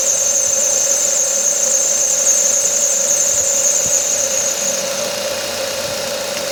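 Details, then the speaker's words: Quiet idling engine with a steady high squeal from a slipping accessory belt that then fades; rubbing a bit of candle wax on the belt fixed it. "Um barulhinho chato na correia de acessórios dessa corre."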